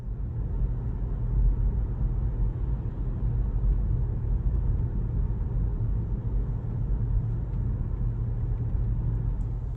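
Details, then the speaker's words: Kia Stinger driving after sunroof rattle fix (roof lifted and rubber matting strips laid under it): steady low road rumble with no rattles or clicks from the roof. "after I applied the fix whatever it sounds like this which is great"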